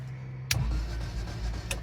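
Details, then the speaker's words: DOHC-swapped 4WD Toyota Tercel, off the road 3-4 years: the starter spins the engine fast and evenly with no compression pulses and no catch, and no fuel pump is heard. Owner suspects it is just spinning the crank; cause unconfirmed. "Doesn't sound like it's cranking right. I don't hear a fuel pump running either, but I also you know, don't know exactly where the fuel pump is."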